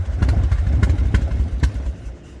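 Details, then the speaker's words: Harley-Davidson V-twin just fired up at idle: slow, loping beat of even low thumps with no engine knock or tick, clean and smooth, air filter audible; runs healthy. "No engine knocks? No engine knocks, nothing wrong with it. Sounds clean and smooth, right?"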